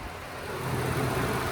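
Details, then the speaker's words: Lifted Ford pickup, cold start with a cold manifold: the petrol engine idles with a smooth, even low rumble, no warm-up or cold-start ticking, no rod knock or lifter tap. "It doesn't have rod knock or lifter tap when you go to start it."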